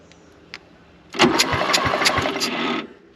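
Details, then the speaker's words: 1955 Renault 4CV, off the road since 1970, rebuilt engine filled with 2.6 quarts of oil, cranked as a complete rotating assembly; even puffs about three per second, good compression pops on cylinders four, three and two, so cranking compression is normal. "compression on four pretty good pop on three ow so I'm going to put a rotor button there pop pretty good on too"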